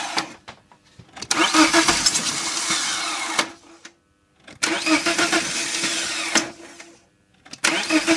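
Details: 1998 BMW 318ti with M44 petrol four: three long spells of cranking, each about two to three seconds with silence between, and the engine never catches; hard start, long cranking.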